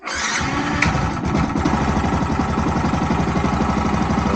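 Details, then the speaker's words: Crash-damaged Yamaha YZF R125 motorcycle, first start during rebuild after priming fuel lines: brief whirr, then it catches and settles into a steady, even idle with no misses or knocks; normal cold start. "cold start not too bad for a cold start there engine is running and cranking"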